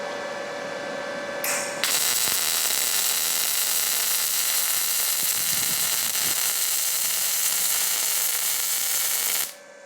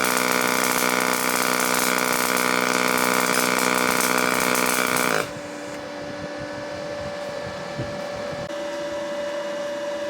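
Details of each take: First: Firstess/Yeswelder DP200 MIG welder with pulse off, inductance turned all the way up: even, smooth sizzle for about eight seconds with little spatter crackle; softer, less violent arc than the low setting. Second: Firstess (Yeswelder) DP200 dual-voltage dual pulse MIG welder, pulse mode on, amperage and volts changing: steady, even buzzing arc with constant hum for about five seconds, then cuts off; clean, stable pulse weld bead.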